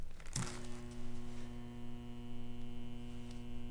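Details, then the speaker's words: 115-volt furnace/AC blower motor wired to an extension cord with ground, common, hot and high speed connected: a click, then a steady low mains hum with no spin-up; the motor stalls because the run capacitor is disconnected, and left powered it heats and could burn out. "if I try plugging my power in my motor just sits there and hums and does absolutely nothing and if you just leave it in there for a long time it'll start to get hotter and hotter and could eventually burn out your motor"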